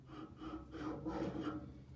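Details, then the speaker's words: Harvey table saw, new, cabinet door off, tilt handwheel turned: slow rasping metal-on-metal scrape in uneven surges, tight-loose-tight, tilt mechanism binding. Cause suspected, not confirmed. "just listen you can hear when it's binding it sounds like metal and metal free there it's tight loose tight loose tight"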